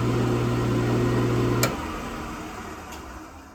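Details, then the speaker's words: Old Craftsman 1 hp 10-inch table saw, no blade fitted, after replacing failed motor capacitor: steady low smooth motor hum, then a click at switch-off and hum dies away; motor now runs normally. "So we can turn that on again. There it is, up and running."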